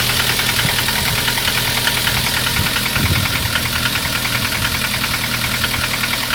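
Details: Lada 2114 with 1.6 8-valve 11183 engine: hard, fast, tractor-like metallic knocking over the idle. It knocked from new but quieted when warm; by 20,000 km it also knocks hot. Valve adjustment didn't help; the owner concluded piston slap and replaced C/D-class pistons with E-class.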